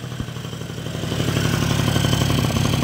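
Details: Old Japanese scooter first start on fresh E5 fuel after long storage; ticks over evenly at about four pulses a second with a light rattle, settling into a steady healthy idle; idle screw needs slight adjustment.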